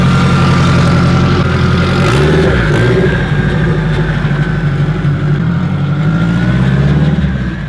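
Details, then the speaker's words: Newly built K-series engine in a Honda Civic Si with DC5 Creations turbo kit, T51 turbo, hood-dumped exhaust, untuned; smooth deep pull with a faint whistle climbing and holding as boost builds, healthy clean turbo spool. "That it sounds so sick. Just listen to the turbo spool. Phenomenal."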